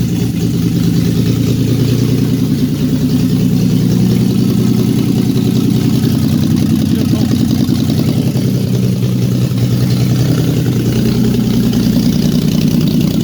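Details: VQ35DE-swapped Datsun 260Z on its first day running after ECU and fuel-pump wiring. Loud, deep, even idle with a raw unmuffled rumble, seemingly without exhaust, and no misses or knocks; running normally.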